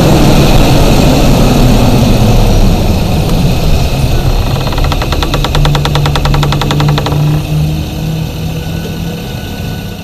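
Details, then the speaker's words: 2019 Chevy Silverado with Stillen cold air intake scoop, shutters cycling: fast plastic chatter buzzing a couple of seconds over low engine hum, active aero shutter bar catching the Stillen scoop and vibrating it; owner first suspected lifters. "the bar the bar is getting hung up on this part of the stilling and it's making a chattering noise and it's sending it through i guess it's probably sending it through this whole entire plastic still in piece and it's vibrating"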